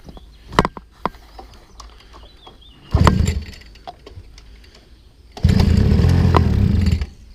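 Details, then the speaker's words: Mini Harley-Davidson 50cc two-stroke pocket bike after a service with the wiring stripped to ignition only and the carb primed: a few pull-starts, then short bursts of fast buzzing as it catches and runs briefly. "aie aie aie ça craque déjà ça craque j'étais de mettre le starter"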